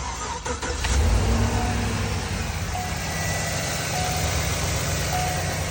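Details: 2012 GMC van after replacing shorted temperature sensor (live data had read -40, now 134): brief crank, engine catches and settles into steady idle without stumbling; starts and runs normally after repair.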